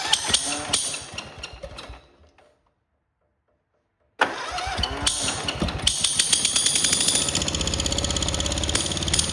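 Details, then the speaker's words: Kohler 18 twin on a Cub Cadet Cyclops restarts after a pause and runs loud and uneven, a rapid chuffing tick about four a second over idle; not the electric clutch as first suspected but a blown head gasket, to be replaced. "All it is a blown head gasket. So we're going to take that side apart."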